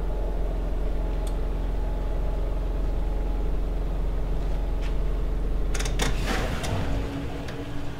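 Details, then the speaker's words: RV dishwasher during winterizing, dial turned to drain cycle pulling pink antifreeze through the pump and out the drain line: steady low hum, even drone, no knocking or grinding; normal pump run. "I'm going to spin the dial all the way around until I hear the pump start to pump it out, so that it pulls that pink stuff into the pump and starts putting it out through the drain line."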